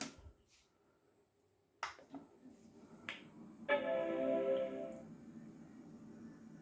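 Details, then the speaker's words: Macintosh Colour Classic after repair of severe battery-leak damage, analog board not yet recapped, second power-on after a failed first boot: a few clicks, then one clean chord for about a second; normal startup chime. "yeah it failed the first time i poured it off turn it on again and as a miracle it came back to life"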